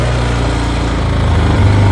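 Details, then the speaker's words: Wilderness ATV, single-cylinder, on full choke after carburetor work for ethanol damage. A quick, even putter that steadies and picks up without stumbling; the engine is running properly again. "It works. I thought this thing was dead."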